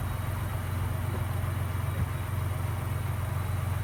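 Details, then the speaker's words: 2018 Ford EcoBoost truck with cam phasers already replaced, after an oil change with Mobil 1 and ProLube treatment and 10–15 minutes of running: low, smooth, even idle hum with no rattle or tick; the earlier diesel-like rattle is gone. "that is amazing I cannot believe that the rattle is actually gone now it gets even quieter once the initial starts over with"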